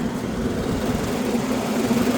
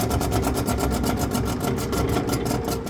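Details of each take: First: Commercial exhaust fan found off at the circuit breaker, motor rated 3.02 A drawing 2.0 A: steady low hum with light rumble, slight vibration, no knocks or squeal, turning counterclockwise correctly; normal running. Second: Exhaust fan running: fast rhythmic swish-scrape about nine a second over the low rumble as the wheel rubs its inlet cone; bearings also sound bad as it slows.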